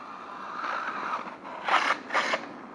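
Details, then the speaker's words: Traxxas Maxx RC truck during a jump session: faint whirr then two short harsh ratcheting grinds, a squeal in the drivetrain; cause not yet found. "est ce que vous entendez le bruit là haut salopiots il couine merde"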